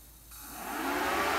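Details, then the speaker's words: Faulty plasma cutter with modified over-temperature protection, after power cycling at about 39–40°C: cooling fan spools up into a steady, even rushing whir with no rattle, running because unit is still slightly warm, then stops; normal fan run. "apart from the fans on cuz I still thinks it's slightly warm if I cool that down a bit more and we'll just give it a moment the fun should switch off"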